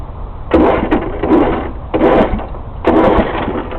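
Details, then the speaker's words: Snapper rear-engine electric-start rider mower with a replacement 1993 Briggs 14 hp overhead-valve engine, in neutral; the starter turns it over in strong, even surges with firm compression pulses. Normal healthy cranking with good compression. "it in neutral okay here's the starter let me see if I can turn it over yeah turns over good has good compression you can hear ya"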